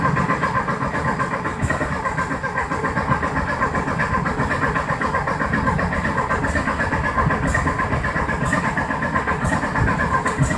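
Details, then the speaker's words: 1973 VW Thing engine parked since the early 1980s, carburetor baseline set, primed, no choke: steady fast cranking with ragged uneven catches that never take hold; won't start, ignition timing suspected. "It's trying real hard. Who knows if the timing's right? Like I said, it was all messed with, so we'll give that a little turn."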